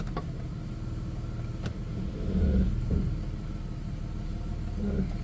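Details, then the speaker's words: 1994 Chrysler Town & Country AWD, after an engine reseal and a vacuum leak fix, idling in gear: smooth low rumble with no knock or whine; runs better than before, transmission engaging gears. "Sounds a lot better now. It runs better now that I fixed that vacuum leak."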